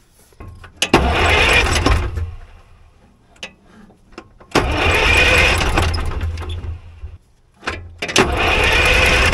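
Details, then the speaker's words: Allis Chalmers track loader diesel after sitting many years, cranked with a fuel fitting loosened to bleed air because the bleeder screw is blocked by the exhaust: three long cranking bursts, turns over but no start, until fuel appears at the fitting. "so I'm going to crank the engine over and it should push fuel out right here"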